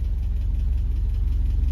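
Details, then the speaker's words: Land Rover Series 3, not driven for about 6 months and not yet warmed up, driving very slowly on a full tank: steady, even low thump at a slow tick-over with no knocks or misses, running nicely. "not warmed up yet but just ticking over nice"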